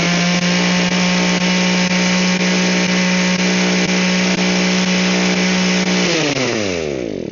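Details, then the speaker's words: Echo hedge trimmer whose gearing had locked up, after loosening the gears: steady, even buzzing at constant speed, then a smooth wind-down at shutoff. It now runs properly. "now it works great."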